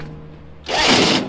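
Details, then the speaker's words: Snow Bombi project vehicle during starting attempt, after earlier cranking: short high whirring burst with no cranking thump; starter spinning free, not engaging, from a broken starter nose. "That's a broken starter nose."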